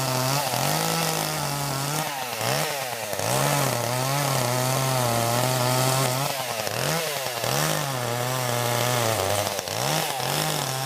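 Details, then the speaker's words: Chainsaw unused since about December: holds a steady buzz, then sags in pitch every couple of seconds while cutting, bogging and dying a little; engine bogging under load. "I don't know if you can hear that running but it's a kind of bond out in dying a little bit I haven't used it since probably first of December"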